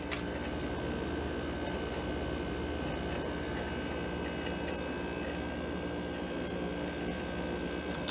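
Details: Window air conditioner being restored, started on cool after the thermostat clicked: steady low compressor hum with constant fan whoosh and a faint steady tone above it, smooth and even, getting cold; normal running.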